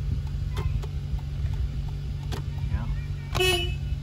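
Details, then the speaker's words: Hyundai Veloster after replacing the steering coupler to cure a clicking steering wheel, battery reconnected, during a function check: a short, clear two-tone honk over a steady idle, loud and even with no rasp or dropout; the horn works normally. "the horn works sure my lights work good just a little function check really"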